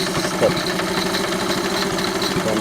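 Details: 1971 Honda CT70 small single, new Chinese carburetor, idling: quick light even ticking every turn over exhaust note; owner thinks valve rocker chatter, cam chain not ruled out.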